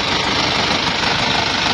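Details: 2008 Isuzu Panther Grand Touring diesel, cylinders previously re-sleeved with non-original press-in liners, idling rough with a busy, fast ticking clatter over the engine note; rough engine noise, tapping source unconfirmed, alongside oil leaks.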